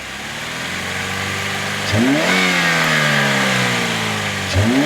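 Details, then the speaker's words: 2007 Chevy Cobalt running 5–10 minutes on 10 lb of paraffin candle wax instead of motor oil: two quick blips from idle climbing and settling smoothly, no knocking yet; sounds healthy, normal revving. "Uh it's been running for like 5 to 10 minutes and it's fine. Like it sounds healthy and it sounds good."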